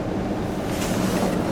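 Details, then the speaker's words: 1991 Ford F-150 after blower motor and resistor replacement: steady, even rush of air at a middle fan speed with no ticking, rubbing or wobble. Normal blower motor operation. "all right let's go up to the next speed that's working nice and smooth"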